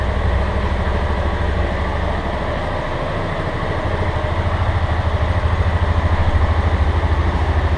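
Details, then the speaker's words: Motorcycle under warranty at idle: fast, even light tec-tec tapping over steady engine; workshop chief says cam chain bearing, engine to be opened to confirm. "Nós vamos ligar pra sentir o barulho dela. Esse barulhinho que tá dando no motor. Tec-tec."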